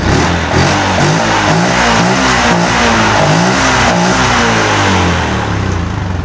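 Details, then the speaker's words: Yamaha Jupiter MX after replacing a weak, failing CDI that caused hard starting and lost spark: starts on first kick and revs up and down smoothly, running normally. "Oke teman-teman ya, untuk motor sekarang sudah normal, sudah enak dihidupkan, sekali engkol pun juga hidup."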